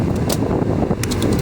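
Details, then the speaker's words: Repaired blower motor that previously stayed on all the time, running after soldering repair and cycled through speeds up to max: strong steady rushing airflow with low motor hum and light clicks as settings change; normal blower operation. "Right there is max. God damn, this thing blows. Ready, watch."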